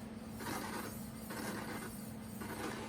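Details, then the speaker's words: Electric bicycle brake after assembly, wheel turning: scraping grind swelling about once a second as the out-of-round, off-center brake disc catches the caliper cotter pin. "it's that's the noise of this brake disc not being perfectly centered and it's just catching on the cotter pin as it goes arou"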